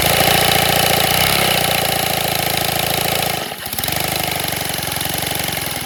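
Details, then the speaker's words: Redesigned 157cc inline twin compressed-air engine, 3D printed, run slow: steady rapid chuffing of about four beats a second with a rough, uneven edge; abnormal running, with an overheating bearing suspected, unconfirmed. "See, you see what I'm saying? Something's off. Like, something's off."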